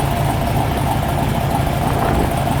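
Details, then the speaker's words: 1973 Corvette C3 big block V8, new mini starter fitted against heat soak; hot restart after 5–6 minutes at 60 mph, starter at 300 degrees: steady, even idle and no starter clicking; healthy hot start. "I mean, it's not 100 degrees out today, but I drove it at 60 miles an hour for 5 minutes, 6 minutes, so that's pretty warm. It seems to work okay."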